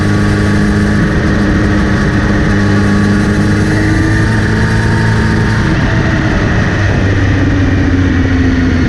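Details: Kawasaki Z900RS riding: whirring buzzing hum rising with speed when accelerating or in gear, started after chain cleaning and relubing; seems to come from front sprocket area; chain clean, tension okay; cause unknown.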